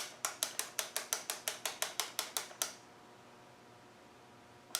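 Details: VE diesel injection pump on the bench during rear O-ring and front seal replacement, stop solenoid tested with a fused test lead. About a dozen crisp clicks in quick succession, then a pause and one more. Stop solenoid clicking normally.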